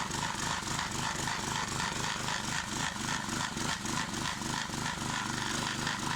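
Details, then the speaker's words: Clarke 20-ton log splitter after its original engine was replaced with a 5 hp engine, splitting bigger logs: an even chug of about three to four pulses a second with no bogging or missing. It is running properly. "Been quite happy with the performance of it with this 5-horse engine on here. Seems to be running pretty well now."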